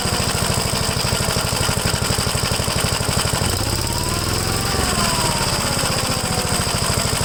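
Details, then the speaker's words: 1957 Gravely L tractor single-cylinder engine after replacing a clogged fuel filter, carburetor leaned slightly after it struggled to regain RPM when rich: even putter, a quick clean rev that settles straight back to steady idle. Healthy. "Okay, sounds good. You notice I had it too rich when I was giving the throttle. I was having a hard time regaining RPM. So I just leaned it out a little bit."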